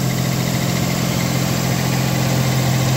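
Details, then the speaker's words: 1989 V6 Mitsubishi Pajero idling after cracked, warped stock exhaust manifold replaced with stainless steel extractors; smooth, steady low rumble, no ticking or puffing, much quieter; normal idle. "That sounds way better. Fantastic. Yeah, dude. It sounds way better. That is way better. Heaps quieter."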